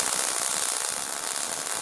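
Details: MIG welding suspension link brackets on a 1962 Jeep Willys: even, steady frying crackle from the arc with no popping or sputter; wire speed set right.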